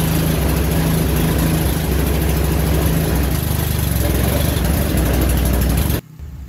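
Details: Old snowblower's small single-cylinder engine after a drive-belt replacement, chugging at a steady, even idle with no knocks or squeals; running normally.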